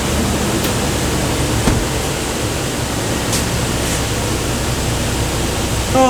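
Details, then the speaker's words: 2013 Nissan Frontier 4.0L after replacing the noisy clutch fan with a new heavy-duty fan clutch: steady, even rush of air, the clutch disengaged and running quietly after initial noise; normal engine fan. "it should be a little noisy for about 20 30 seconds and then it should be nice and quiet after the fluid in the clutch pulls away from the center."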